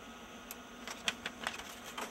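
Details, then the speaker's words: Apple LaserWriter Plus (Canon print engine), kept nearly 10 years, idling while waiting for a hand-fed sheet: faint steady high whine that changes pitch under scattered light clicks, paper light blinking fast, wanting the manual feed tray. "I know it's still waiting because I can actually hear it like the pitch of the wine in here is changing and the paper lights blinking a very fast blink so it wants something in the manual feed tray"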